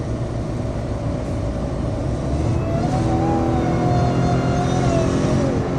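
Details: 2013 Ford F-150: thin off-pitch whistle climbing and falling with revs; failed turbocharger.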